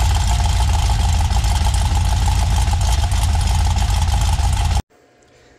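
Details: 6.0 LS V8 on a stripped-down truck harness, after the bent dipstick that the crank had been striking was pulled out, straightened and refitted: steady, even low rumble with no knocking or tapping before shutdown. Normal running.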